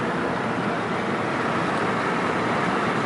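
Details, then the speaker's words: 2004 Nissan Quest on a test drive at about 2500 rpm after fitting new exhaust brackets per TSB: steady cabin and road hum with no metallic buzzing. That buzzing was previously heard at about 2000 rpm. "far so good I don't hear any buzzing it seems pretty good right now"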